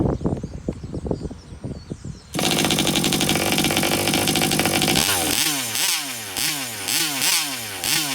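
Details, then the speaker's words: TMR-Rovan FT360 small two-stroke with newly installed remote kill switch, restarted after kill test: after handling clicks, catches and screams steadily, then revs up and down crisply in quick blips; runs normally, kill switch works. "Blue light's out. Starts right back up. Perfect, guys."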